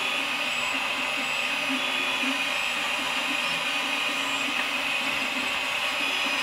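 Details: Malyan M150 3D printer humming and buzzing as the bed moves along the Y axis, with a dry rattle from the poor-quality linear bearings under the table.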